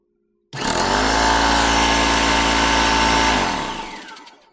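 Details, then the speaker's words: Ridgid belt-drive air compressor after its broken belt was replaced, plugged in and run. Before the repair it only sounded like a fan running. The motor snaps on and the pump drones steadily, then spins down smoothly with no slap or squeal. Slight air leak remains; running normally. "Got a little bit of air leak on that one. But anyway, I think that's uh I think that's a win."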